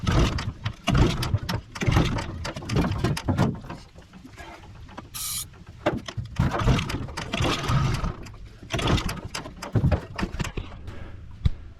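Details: 15 hp Mariner outboard unused two years, stored outdoors, fresh fuel, starting fluid, carburettor not yet cleaned: rough pull-start rasps with scattered uneven pops, won't catch; hard starting.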